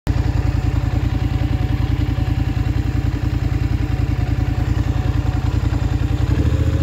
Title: Scrambler XP1000 S weird noise 3